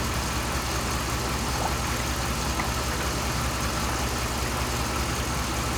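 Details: 2007 Dodge Ram 5.7 HEMI V8 warming up at idle right after a leaking water pump was replaced; heater on while bleeding air from the coolant. Smooth, even burble with no knocks, squeals or grinding. Normal, healthy idle.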